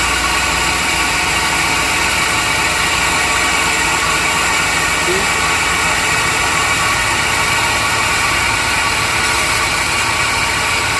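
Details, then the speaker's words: 2002 Chevrolet Silverado Vortec V8 petrol engine at hot idle: loud, even idle with a rough, gritty, hiss-like grinding running continuously over the engine note. The source has not been found. "when it's very hard the engine has a grinding noise i don't know why but it happened"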